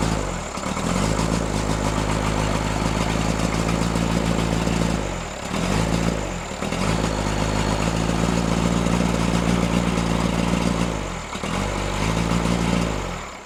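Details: Freshly rebuilt Cummins diesel in Case 1840, new injectors, rebuilt pump timed 12° BTDC: lopsided stumbling beat with periodic dips as revs held up; misfire, balance test suggests front cylinders 1 and 2, cause unconfirmed.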